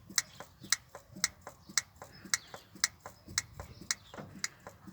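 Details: 1962 Land Rover Series 2a 109 during rebuild, trying to bring fuel up to fill the sediment bowl: a slow, sharp, dry tick about once a second with nothing coming through. The fuel pump is sucking air at the sediment bowl, and the pump is then stripped to inspect its membrane.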